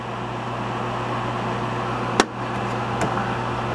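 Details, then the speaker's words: Gas furnace (emergency heat, with heat pump) after blower motor service, sequencing through inducer, pressure switch and igniter: steady low motor hum, then a sharp gas-valve click and a lighter second click. Normal startup. "Listen for the click of the gas valve. There it goes. Now she's going to prove flame."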